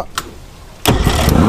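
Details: 1972 Mercury Thunderbolt 500 50 hp outboard on a 1971 Ranger Fisher King boat, after a new switch box, ignition coil and timing belt: a quiet lead-in, then it catches abruptly and runs on with a steady, even beat.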